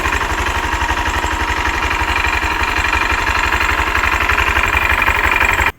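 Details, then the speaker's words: 2023 Honda Genio 110 scooter idling with a rough CVT complaint: steady gritty grind over the engine beat; cracked variator rollers and loose roller housing. "Untuk kali ini kita dapat project motor Genio dengan keluhan di area SPT-nya ada bunyi kasar seperti video yang di awal ya."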